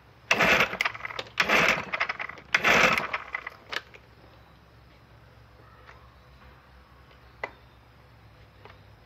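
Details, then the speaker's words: 1968 Evinrude 9.5 HP outboard, stored since 2016 and never run, fresh gas/oil mix, choked; three rattling starter pulls without firing: cranks but won't start. Carburetor found varnished; owner suspects stuck high-speed jet, no fuel reaching motor. "motor wasn't getting any fuel all kinds of Varnish in the bottom of the carburetor most likely the highspeed jet is stuck"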